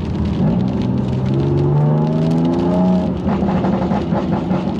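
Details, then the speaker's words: BMW M2 Competition, first road test after nine-month rebuild, around 4,000 rpm: droning, howling rub climbing with speed from near-side rear wheel; owner thinks brakes, but loose trim catching the tyre; diff and possible wheel bearing noise also noted. "it sounds ridiculous so that is a really pronounced rubbing noise but it's I think it is the brakes"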